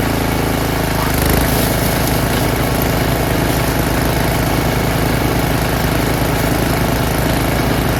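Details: Snowblower engine stored 4 years in a shed, winterized with the fuel shut off, fires on the first pull on choke with throttle high and primed; it is a little rough at first, then runs a smooth, even full-throttle drone off choke with no misses or knocks, healthy.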